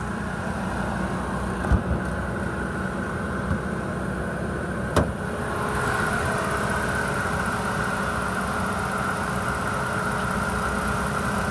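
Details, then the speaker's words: 2013 Ford Taurus, 96,900 miles, running about 30 minutes without overheating: even idle then smooth rise when revved, no knocks or rattles; engine sounds good, transmission engages. "motor sounds good on idle motor sounds good when you're rev and transmission engages a lot 119."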